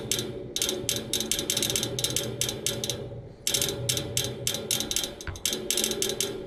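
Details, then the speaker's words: Neighbor's AC outdoor unit idle with fan stopped, motor replaced yesterday: rapid dry ratchet-like ticking in bursts with short pauses from inside the unit, not the fan; goes away when the fan turns on; repairman couldn't reproduce; cause unknown. "And this noise will continue until that fan turns on. Once the fan turns on, it goes away. Once again, it's not coming from the fan."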